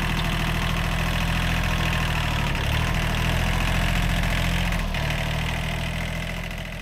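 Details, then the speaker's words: Old, worn Kubota B7100 diesel tractor after a gearbox rebuild that replaced chewed-up gears and bearings: a steady, low beat at constant speed with no gear grinding or whining; the gearbox noise is solved. "that's way better no more noises all the gears work perfectly everything meshes together no more horrible noises in the gearbox so problem solved"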